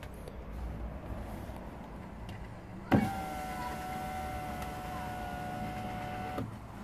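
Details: 2014 Volvo XC60 driver's window with fault B118E00, operated from the door module: a relay click, a steady even motor hum and clean whirr for about three seconds, then a click at the stop; normal power window operation.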